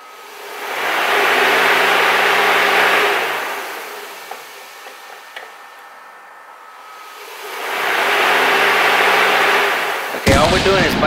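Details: Car's cooling fan relay bypassed by jumping the relay base terminals with pliers: fan rush swells, holds, fades and swells again; fans spin freely, motors working fine.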